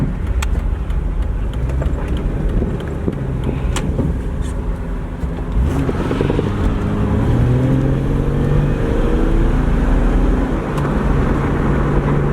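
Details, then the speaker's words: 2001 Jeep Cherokee Sport 4WD with lift kit and oversized rims, driving a left-hand turn: steady road rumble joined by rough uneven scrubbing as the tire rubs the inner fender. "So I'm going to do a left-handed turn here, just so you can hear the tire rub."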